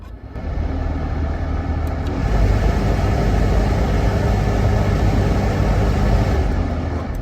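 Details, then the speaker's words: 2010 Dodge Grand Caravan front blower motor, under the passenger glove box: dense roar with a rough rattle at third and fourth fan speeds, caused by debris in the fan, not a failed motor. "it's got quite the rattle. I was thinking, well, it's off balance somehow or something."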